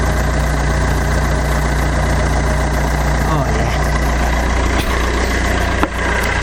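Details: Fiat Doblo diesel idling after oil sump replacement and exhaust refit, with the bumper off: a steady, even idle with a smooth low thrum and no knocks or rattles; sounds much better and less bassy, healthy.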